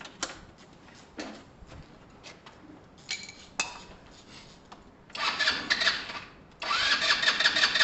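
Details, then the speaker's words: Kawasaki motorcycle with a new replacement carburettor, cold, being kicked over with no fuel in the carb: scattered kicks and pops, then ragged bursts as it catches; long cranking while the dry carb fills. "it's going to take a little while to kick over guys because it has no fuel in it"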